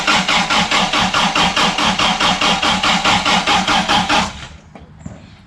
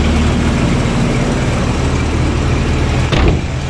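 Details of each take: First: Toyota RA40 with 22RE engine, cold start after replacing injectors and parts: starter cranks evenly about two and a half pulses a second for four seconds but engine never fires. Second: Toyota RA40 22RE cold start after fixing cold start injector power: low, even rumble holding steady with no stumbling or hunting, loud exhaust leak ticking audible; cold engine idling cleanly.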